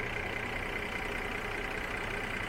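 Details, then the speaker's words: 2018 Mercedes GLE 350 4Matic petrol V6 under the hood: steady, even idle with belt system spinning effortlessly, no knocks, ticks or squeals; normal idle. "the hood and this is where we're going to finish out the video is taking a look here at this V6 as it idles away very"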